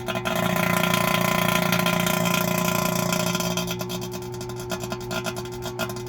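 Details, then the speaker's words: 2017 CLAAS Lexion 740 A/C vacuum pump after compressor replacement, high side open: drone with a regular ping about three times a second fading as the pump note drops; owner suspects an air leak or humidity moisture, and the system later passed the vacuum test. "So we're getting air from somewhere, I believe, unless it's just this extreme humidity and moisture got in there."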